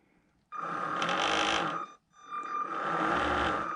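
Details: Moebius Seaview r/c model submarine, switched on magnetically: small electric drive motor spins up with a steady high whine, stops briefly, then runs again evenly while control surfaces are tested; sounds healthy.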